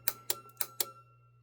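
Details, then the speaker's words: Chrysler Crossfire relay control module on a bench test, engine control and traction control relays energized together. Crisp clicks about a quarter second apart, then one more, over a faint hum: relays operating correctly, normal relay click. "engine control traction control the are operating correctly"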